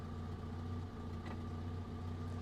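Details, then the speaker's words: 1949 Canadian Morris Minor Lowlight just started from cold in neutral with the choke pulled out; a low, soft, steady idle with a slightly lumpy beat from the choke, otherwise smooth. A normal, healthy cold idle on choke. "now these earlier engines in my opinion always sound a lot smoother have a little listen it's a little bit lumpy CH got choke"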